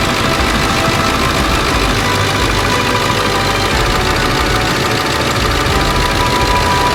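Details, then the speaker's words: Late 1999 Ford F-350 7.3 Powerstroke diesel, first start after engine wiring harness replacement, cold garage: steady even diesel clatter at idle, no misses or surging; purring like a kitten, normal idle after repair. "okay anyway I couldn't be happy you hear that thing purring like a kitten fantastic"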